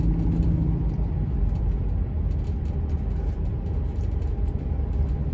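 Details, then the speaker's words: 2007 Dodge Ram 3500 4x4 with the 6.7 Cummins diesel and 68k miles, descending a hill: deep, even rumble with no rattles or pops as the exhaust brake works. Normal exhaust brake operation. "Hear the exhaust brake going to work. We go down the hill"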